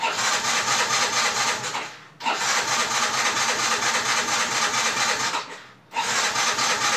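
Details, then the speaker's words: Yamaha Mio J scooter that won't start: starter cranks the engine in steady bursts with short pauses but it never catches; compression ruled out. "Oke kita akan membahas ini Mio J mogok teman-teman ya ini distart nggak mau nyala"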